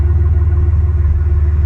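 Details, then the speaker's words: Bus engine at warm idle after 10–15 minutes of warm-up, just after a new muffler install: steady low exhaust burble with an even pulse, no rasp or leak hiss. Normal warm idle. "okay we've been warming up here for about 10-15 minutes now and we're starting to get a little bit more noise out of it"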